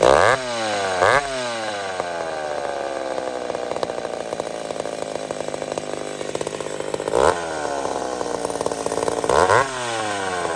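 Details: Old McCulloch Super Pro 70 chainsaw cutting on a hot evening: strong, steady high scream through the cuts and crisp recovery between them, no hunting. Healthy.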